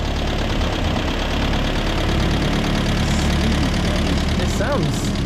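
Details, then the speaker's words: Land Rover with a new starter motor and cleaned earth points, idling stone cold right after start, after earlier kicking back; ignition timing may need checking: steady, even, smooth low idle with no knocks or misses. "alright, doesn't it? Yeah, it's stone cold. It sounds lovely."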